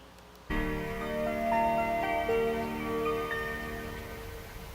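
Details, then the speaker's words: Car switched on: a soft, bell-like melody of overlapping ringing notes, its normal designed welcome chime. "자외 칸 그 파일이라고 해서 차를 켰을 때 차가 여러분들을 반겨주는 어 소리가 되겠습니다"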